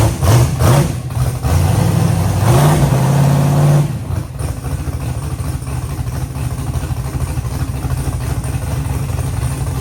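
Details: Car's first start after a fix for an earlier valve-train noise, with fresh oil: throttle blips rise and fall cleanly, then it settles to a steady, even idle with no ticking or knocking. The engine runs normally.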